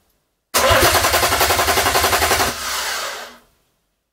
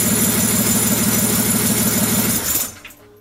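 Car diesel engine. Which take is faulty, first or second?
first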